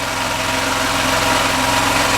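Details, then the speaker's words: Small engine on a Hollingsworth air compressor, after fitting an added external muffler; smooth even idle with a quieter exhaust and only light normal mechanical clatter; normal idle. "The exhaust is a lot quieter. You can hear the mechanical sound of the engine. That's normal. That's not aggressive anymore."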